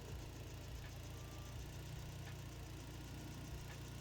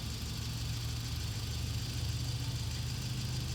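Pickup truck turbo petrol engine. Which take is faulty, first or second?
second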